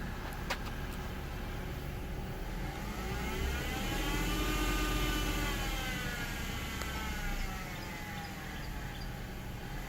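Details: Jeep JK Wrangler engine revved twice, a whirring whine rising and falling with rpm from a bad serpentine belt idler pulley; replacing the pulley eliminated the noise.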